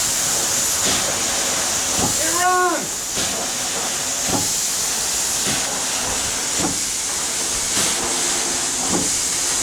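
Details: 1895 Bates Corliss steam engine, 14" bore x 36" stroke, 10 ft 9000 lb flywheel, first start in 80+ years on about 50 psi: dull thump about once a second each stroke over steam hiss; rod bearing needing adjustment.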